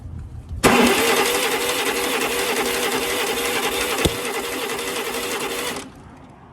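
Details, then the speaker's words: Yazoo lawnmower start attempt after magneto refit: steady fast cranking about five seconds with no firing; it later ran after ignition timing, off by one tooth, was corrected and swapped plug wires were fixed. "and it's still doing the same thing I'm going to try retarding of the tooth there"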